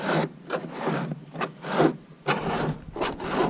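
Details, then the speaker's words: Jackson Bite FD pedal kayak, about a year old: dry gritty rasping in slow uneven strokes from the rudder steering mechanism under the track; owner suspects grit in it, with plastic also rubbing the fiberglass rod. "The steering mechanism. Cause a current. This right here. It's way too loud. It's under this track right here, and it sounds like it's got grit in it."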